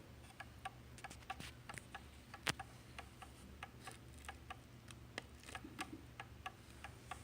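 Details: Pendulum clock, face side, after oiling and during beat adjustment (sandpaper wedge used, L wire holding crutch): light ticks at uneven spacing instead of even tick-tock; lopsided beat, clock out of beat.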